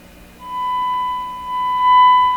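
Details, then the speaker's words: Stewart Warner R514 tube radio powered on after finding an open resistor, battery replaced by a clip lead: clean steady whistle near one kilohertz over a quiet hum, no distortion; normal audio output. "that sounds fantastic"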